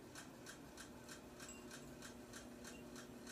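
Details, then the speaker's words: 42-inch Aloha Breeze hugger ceiling fan, about ten years old, running on high: soft, regular ticks about three per second over a steady whoosh. The fan wobbles slightly; the owner suspects the bearings but is unsure of the source of the clicking. "it is pretty noisy and it does click - I don't know what the clicking noise is coming from probably the bearings but it could be wrong"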